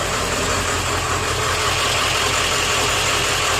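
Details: Steady, even idle with a firm clatter and no stumbling from an OBS Ford 7.3 diesel after the IPR valve was replaced; the faulty IPR had caused a no-start and a stall with power loss on the freeway, and it now runs smoothly.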